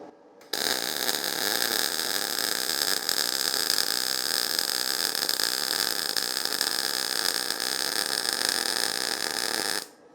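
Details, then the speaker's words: Steady, harsh frying MIG arc hiss for about nine seconds on a YesWelder MP200 at 220 V input, voltage turned up slightly; likely slightly too much voltage, weld still fairly flat. "i think you can hear that one sounded a little different and it's just a matter of getting the settings right i think that was probably a little too much voltage"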